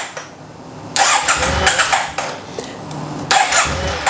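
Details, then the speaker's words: Yamaha TMAX scooter: catches in two short bursts, revs raggedly, then dies. It keeps running with slight throttle but stalls with a lot. Owner suspects the fuel pump, even though it primes, and is replacing it. "It cranks a little bit. Sometimes it idles, but it dies quickly."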